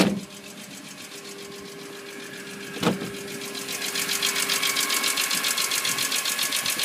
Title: E46 M3 ticking noise valve adjustment